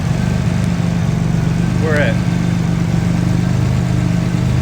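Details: Engine idling after RJC V-Band exhaust gaskets were installed, heard on a walk-around: steady, even low rumble with no ticking or puffing from the exhaust joints; engine sounds healthy and sealed.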